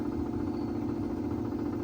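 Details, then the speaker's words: Sony TC-250 reel-to-reel tape recorder from 1966 after installing a new motor run capacitor: quiet steady hum with no wobble or speed change, running at 3¾ and 7½ ips; still a bit noisy, owner plans to oil it. "Yep, it's finally running perfectly with a new motor run cap."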